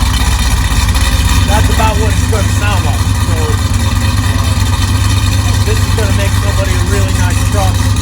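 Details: 1999 GMC truck V8 heard out back: deep steady rumble at idle, even firing, no knocks or ticks; healthy.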